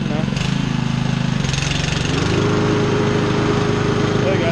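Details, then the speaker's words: New Honda mower, factory-set better than the owner's other one: engine rises to a higher, steady even hum, sounding as it's supposed to; correct engine speed. "There you go. So that sounds a lot better, right? That's what it's supposed to be."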